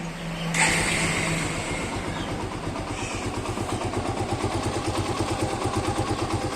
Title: suzuki gixxer bike engine noise problem fix | engine bad sound fix | engine noise problem solv